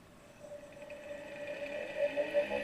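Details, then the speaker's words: Solectria AMC325 motor controller after repair of a missing-hardware bad ground, running a known-good motor and encoder in reverse: clean electric whine rising smoothly in pitch, no grinding or clicking, then regen to a stop; working normally. "Hopefully you can see that spinning. If not, you can hear it. Regen to a stop. So yeah, that's working really well."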